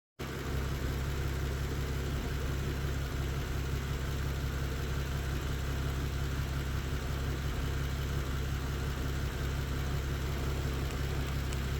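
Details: Engine idling with a cylinder 4 misfire and intermittent P0300: low hum with faint irregular ticks and slight stumbles; a test light on the cylinder 4 and cylinder 1 coil packs showed no difference.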